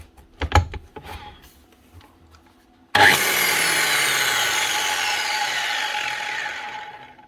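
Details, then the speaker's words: Angle grinder with the wobbling disc replaced: a single spin-up with a clean, steady whine that winds down smoothly; no wobble, grinder running true, the disc was the cause. "yeah that's a lot better so it's actually the dusk that had the wobble"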